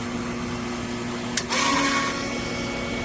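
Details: Newly installed replacement for 16-year-old Polaris PB4-60 pool booster pump (old one had bad armature, bearings replaced three times), started after main pump: steady, even hum with mild tonal whine, no rattles or knocks; running normally.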